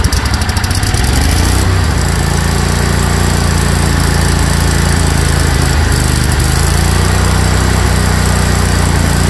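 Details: Craftsman GT tractor (model 917.258873) with 18.5 hp Kohler CV18S 624cc V-twin, formerly hard-starting, running after carburetor replacement (Kohler 24 853 41-S, new gasket); loud, steady, even drone at constant speed, no misses or knocks; normal running.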